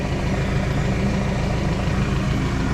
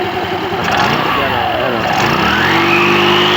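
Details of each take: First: ER 150N scooter, 3 months old, 5k odometer, after a no-start and battery check: steady low idle with dense rumbling drone; noisy CVT, variator opened for setup with MXI belt. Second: O 'di ba? Ganda ng tunog.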